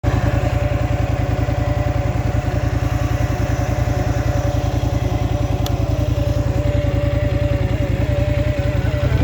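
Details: Scrambler XP1000 S engine idling: fast, even thumping at about three and a half beats per second with a faint wandering whine above it; abnormal noise, source unclear.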